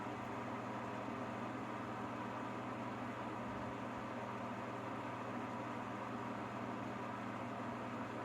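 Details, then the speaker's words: Coleman Mach 15,000 BTU roof air conditioner on a Four Winds Class C motorhome, with an oscillating fan on low: soft, even fan rush with a faint hum, no cycling clicks or rattles, running quietly and normally. "Now, go back here to the bedroom area, the luxury bedroom, and see what we hear back here. Okay, laying in bed. You can't hardly hear it."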